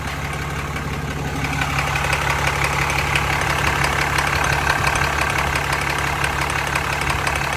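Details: 2015 Ram 2500 with the 6.7 Cummins diesel idling: a steady light ticking, about three a second, over the low rumble; the cause of the tick is unknown.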